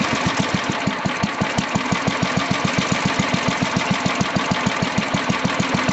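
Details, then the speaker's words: Old Sears Craftsman Suburban 12 hp tractor after carburetor repair and mixture adjustment, idle screw turned down as low as possible: slow, even putt-putt about five and a half pops a second, no misses. Normal low idle. "Just see how low we could idle that thing. The old school stuff. Purrs like a kitten, baby. She runs."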